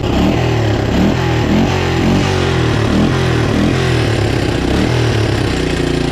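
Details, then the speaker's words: Moto 4 Big Bear 350 four-wheeler that sat in the woods for years, after a throttle cable fix and idle adjustment: a single-cylinder thump rises and falls cleanly with throttle, no stumbling or popping; runs like new. "good e wow this thing runs like it's brand new"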